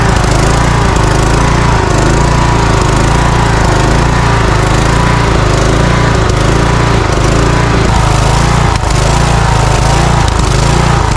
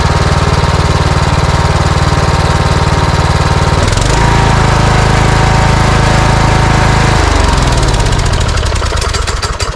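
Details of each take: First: Cub Cadet riding mower with Kohler engine: loud engine speed rising and falling about once a second; surging from lean fuel mixture, smoothed when choke partly closed, restriction suspected in the carburetor. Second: Cub Cadet riding mower with Kohler engine, previously surging from fuel starvation, after carburetor replacement and new air filters: smooth, even beat with no hunting or popping, winds down cleanly at shutoff; normal running.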